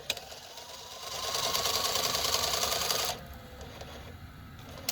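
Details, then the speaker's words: 1984 Sanyo Beta VCR model VCR-3 with a loading-mechanism fault: small motor whirs and the mechanism chatters for two seconds, then stops without the take-up reel pulling; no take-up reel drive, idler suspected. "no take up so that's probably the idler"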